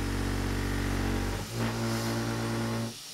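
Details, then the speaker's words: Avid CNC Benchtop Pro router, 2.2kW spindle, cutting A36 mild steel at reduced feed rate: harsh buzzing chatter stopping when the cut ends, still sounding terrible. "My first approach was to slow down the feed rate thinking that the steppers just weren't strong enough and the system wasn't rigid enough to push through the steel at a higher feed rate, and this did help a little bit. But it still sounded pretty terrible."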